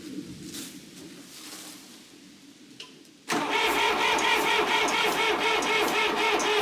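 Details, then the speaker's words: John Deere 350B bulldozer rebuilt diesel, first start after rebuild: fast steady clatter while coolant blows out the overflow, pressure building fast; head gasket leak into cooling system. "now we've got some cooling overflow we're building pressure that fast"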